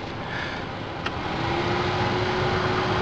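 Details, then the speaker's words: Car cabin blower fan just replaced after the old one burned out from water ingress: smooth even whoosh with a steady low tone as the blower comes up to speed, no rattle or squeal; normal operation. "so now we're gonna go ahead and test it fire it up here we go and it's working got the vent going"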